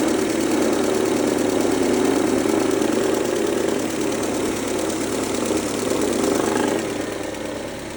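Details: 2003 Mercedes-Benz A140 (W168), 196,000 km, sudden engine noise: steady idle with a fast, fairly even ticking knock about 214 per minute at the front; owner suspects timing chain or chain tensioner, unconfirmed.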